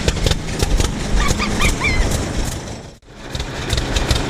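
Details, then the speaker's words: Predator 301cc single-cylinder pony motor belted to the PTO pulley cranks a 1926 Hart-Parr 16-30 tractor unstarted for over a decade; it chugs unevenly and labours, dips, then picks back up as the tractor starts for the first time. "so I made our Pony motor uh belted it up to the PTO pulley there and went to town"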